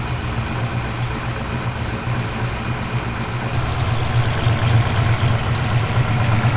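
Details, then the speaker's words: Turbo Fox Body Mustang V8 first start after turbo install, running on wastegate spring pressure without upgraded fuel system, exhaust cutout closed: deep, quiet, even burble at idle, no misfires or rattles, sounds like a stock car. "It probably doesn't sound like it, but it's like so quiet now. We gotta get that exhaust cutout open because that is just like a whisper. It's just bloop, bloop. It sounds like a stock car."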